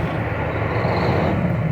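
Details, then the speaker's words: Truck diesel running better after a dealer repair, with no knocking heard: smooth, even low rumble. Owner questions whether the cam is really bad, but the roller rockers and cam looked normal under the valve cover. "So I guess the truck's running a lot better now. You don't hear it knocking, do you?"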